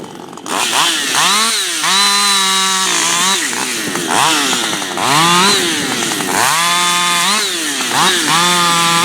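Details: Freshly built Husqvarna 555 HTSS work saw, newly tuned, not yet broken in, cutting small wood. Bogs into the cut then screams back up freely each time with crisp, clean revs; revs higher than a stock 555, a healthy, well-tuned torquey saw.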